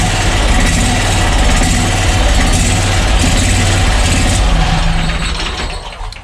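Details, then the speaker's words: Wright Stander ZK mower, about five years old, after a new starter to fix slow, sporadic hard starts: quick crank catches straight away into a loud, steady small-engine idle chug with no dragging; normal start and idle. "okay that's pretty impressive i like that all right so the new starter did the trick"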